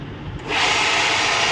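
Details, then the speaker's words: Epson L130 printer switched off and on again: harsh, raspy mechanical grinding starts at power-on and continues; mechanism rubbing abnormally, treated as a sensor problem, cause not confirmed. "পাওয়ার কেবলটা লাগানোর পরে আমরা প্রিন্টারটি on করব। প্রিন্টারটি problem দেখুন, এই যে আবার of করি, আবার অন করি,"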